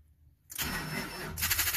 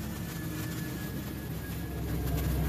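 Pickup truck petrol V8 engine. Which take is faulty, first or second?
first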